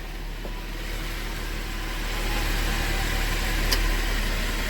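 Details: GMC Acadia after an engine repair with the head machined, running after its first startup (noisy until oil pumped up): a low, steady idle hum with an even beat and no knocking or ticking. A normal idle.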